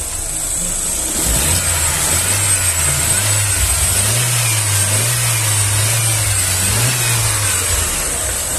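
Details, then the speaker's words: 2009 Chevrolet Astra, 90,000 km, after repair of knocking/pinging (fourth injector faulty, new Bosch injector): engine revved through several blips climbs and settles smoothly, no pinging or rattle; now quiet, normal revving. "e aí o barulho pessoal aparentemente ele acelerou acelerei o motorzinho ficou silencioso ficou bom ó pessoal então ficou bom o motor cliente gostou o barulho Tá legal"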